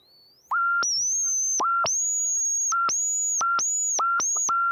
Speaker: wow the sound is incredible yeah soon soon as you touched it it got real loud yeah like SOS yeah that's crazy so cool